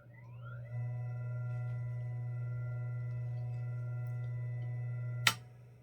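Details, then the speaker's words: Vintage ILGJET 24-inch Type Q air circulator fan after replacing its bearings with new 6203 units, running on low speed: only a clean, steady electrical hum with no grinding, then silence at switch-off. Healthy motor. "That is crazy quiet. When you turn the switch off, well, with the motor running, you hear the electrical hum from just the magnetic field in the motor."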